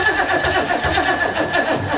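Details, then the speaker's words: 1970s big block Oldsmobile-powered Sleekcraft jet boat after stalling from water in the fuel: sluggish, uneven starter churn about four to five turns a second that drags and fades; weak battery, jumper pack to be added. "Oh, it's sad now. Alright, I'm going to throw a jumper pack on that battery and hopefully we can get it to crank longer and maybe fire back up."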